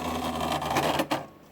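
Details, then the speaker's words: HP Deskjet F4480 printer that jams paper and makes internal noise, after cleaning a dirty encoder strip: carriage whirrs with a dragging rub, then a sharp clack as the misaligned print carriage catches on the printer housing. "mas eu tô percebendo que ela tá com outro problema vou ligar aqui ó para o ela tá pegando o carro de impressão na carcaça da impressora"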